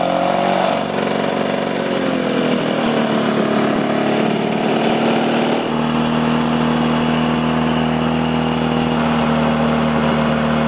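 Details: Two-stroke Lawn-Boy mower after replacing broken carburetor throttle lever and washing air filter: steady buzz picks up speed cleanly and holds an even, smooth note; normal running.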